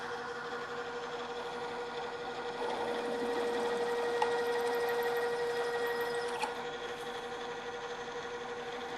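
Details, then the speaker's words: Drill press stepping up toward a 1-inch hole with a half-inch drill, rerun at lower speed after chattering from running too fast: steady motor hum and even cutting tone, drill cutting smoothly without chatter, backed out periodically to clear chips. "the drill is cutting much more smoothly now we continue as before drilling for a while and backing the drill out and clearing the chips"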